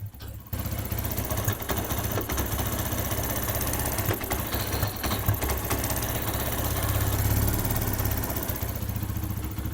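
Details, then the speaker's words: TVS Apache single-cylinder after timing chain replacement and diesel cleaning: steady, even low idle thump with no timing chain or tappet noise; healthy normal idle. "लिए back में ना ही timing change sound आ रहा है ना ही टाइपर से sound आ रहा है"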